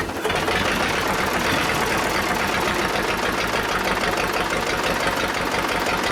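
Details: Old Detroit Diesel two-stroke four-cylinder dozer, once water-filled, with a rough, lumpy clatter and no steady beat, firing on about a cylinder and a half. Compression is 150, 90, 0, 0: two dead cylinders, before the Bon Ami cleanser trick.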